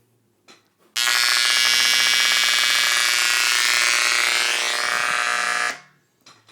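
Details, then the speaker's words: First-generation KRK Rokit RP5 monitor with only the power cord connected: a piercing, very loud, steady tweeter squeal for about five seconds; it persists after swapping faceplate and tweeter and across outlets, and is apparently not a ground loop. "everything you heard there was coming from the tweeter here and it was very loud it's like almost unbearably loud"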